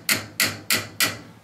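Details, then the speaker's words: 1.5-inch copper kitchen drain pipe tapped: four short, dull, solid-sounding taps where oily dish waste collects, indicating partial blockage from grease buildup. "okay a little more solid there where all the crap sits in it"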